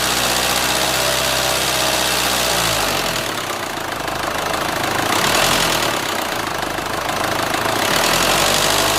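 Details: Renault Scénic 2 1.9 dCi, 2004, diesel idle: abnormal knock, a steady metallic ticking near four beats a second that follows rev changes; source unclear; engine removal, inspection and engine replacement to follow.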